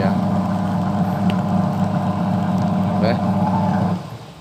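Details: Sharp single-tub automatic washing machine converted to manual timer, wash test after conversion: even motor hum, steady low drone alternating back and forth, winding down near the end; normal wash agitation.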